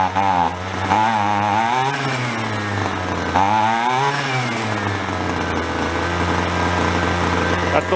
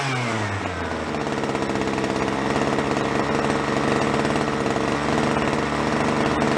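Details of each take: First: Roadside free two-stroke weed trimmer, carburetor low and high mixture screws being adjusted: small buzzing engine surging up and down, hunting rather than holding a steady idle; running lean on the low-speed mixture. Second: Small two-stroke string trimmer (free roadside find), idle speed turned down, carb richened on both high and low needles: buzzes steadily with a soft uneven stutter, slightly rich four-stroking as wanted, no stumble when throttle is hit.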